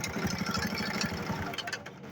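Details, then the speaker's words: 70cc motorcycle engine idling with a fast, light metallic rattle riding on its beat, identified as timing chain noise before the timing chain repair. "जो आवाज़ आप सुन रहे हैं, ये आवाज़ आपको आ रही है, ये टाइमिंग चेन की आवाज़ है।"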